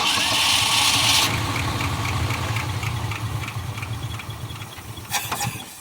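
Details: 1975 Ford F500 rollback truck after 17 years in a field: weak, uneven idle sagging and fading, barely running, not missing; owner suspects the carburetor accelerator pump isn't working.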